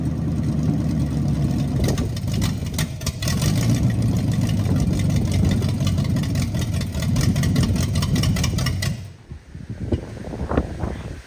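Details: 1929 Model A truck with a replacement engine, after correcting the firing order and number one cylinder position and adding gas: it catches and runs with a low, slightly uneven rumble for about nine seconds before shutting off.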